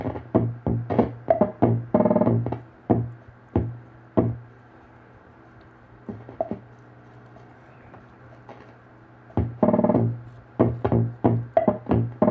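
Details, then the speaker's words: 1974 Hammond Auto-Vari 64 drum machine under repair: irregular clicky drum hits about three a second, pausing then resuming, voices thin and harsh; working again but badly distorted, owner suspects the wrong pot in the high-frequency section. "Oh, now it's working. Sounds like trash, but it works."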